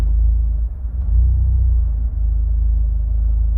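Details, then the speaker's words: Fiat 124 Spider 1.4 MultiAir turbo at idle: brief dip as the air conditioning is switched off, then a low, even, smooth idle with zero misfires; cause unclear. "And then it's perfect. The exhaust is smooth. I can hear it. I just showed you. The idle is smooth. The misfires are 0."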